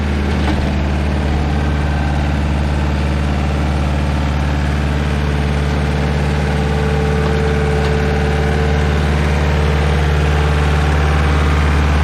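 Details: Stump grinder engine just rebuilt with new parts and a clean piston, on its first job: steady, even low idle with a smooth, unchanging beat and no knocks or misses; the rebuilt engine sounds healthy.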